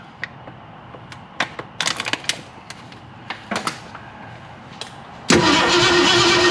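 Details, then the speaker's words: 1961 Ford Unibody truck with 1968 Mustang 302 and C4 automatic, after sitting 29 years: slow, uneven cranking with scattered pops, then a brief ragged catch. Owner suspects only one plug wire fires, high compression or flooding, and old crusty plugs. "so we either have a high compression or a flood"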